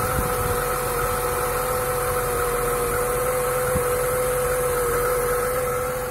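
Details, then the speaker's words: Lada Niva 21214M fuel-injected, about 63,000 km, after replacing the hydraulic timing chain tensioner. It has a smooth, quiet idle with a faint steady whine, and the earlier timing chain knock and rattle is gone. "после замена натяжителя звук пропал вот можно даже послушать когда машину заводишь тишина тут никакого решения лязганье цепи нету"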